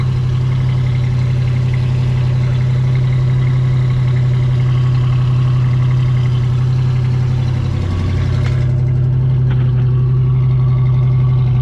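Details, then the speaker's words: 1973 Camaro RS 307 V8, started easily after sitting a while, settles into a deep, even burble with a steady beat and no misses, knocks or ticks; smooth, healthy idle. "I don't really feel like I need to change it out anytime soon because it is running pretty good it's pretty smooth all eight cylinders you know"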